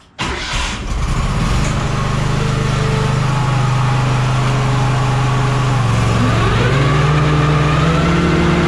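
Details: Walker mower after gearbox/deck drive repair, engine just started with the deck engaged: steady even drone with no metallic rattle or scrape; the earlier deck noise is gone and the drive sounds healthy.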